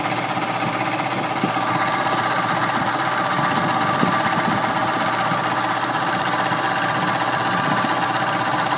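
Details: Two-speed blower motor on high speed: loud, rapid rattling chatter and hard mechanical buzz from a bad bearing; motor was replaced.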